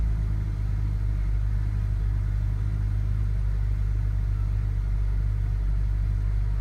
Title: BMW E60 535i cold start and rough idle